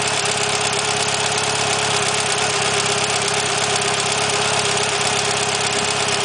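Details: Mitsubishi Evolution 9 with 272 Kelford cams, Supertech beehive springs and retainers, idling: fast sharp ticking over the top end, owner unsure if normal; valvetrain ticking at idle.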